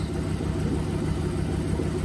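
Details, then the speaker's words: Ford Focus project car with twin-turbo V8 swap, warmed up, idle set around 800 rpm, checked with phone strobe; steady even low rumble, no misses or knocks, smooth warm idle slightly above target: normal. "I know it will because I've already had it idling and it's warmed up, and it should idle roughly around 800."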